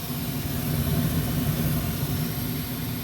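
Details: Old ICP gas furnace in a rental house, running on heat with a failed fan timer board temporarily bypassed by jumpered spade connectors; steady, even low rumble of burner and blower with no rattles or clicks, heating normally.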